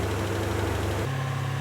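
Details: Land Rover Discovery 1 V8 being recommissioned, first start after sitting: fast, busy idle holding steadily around 1500 rpm, far too high.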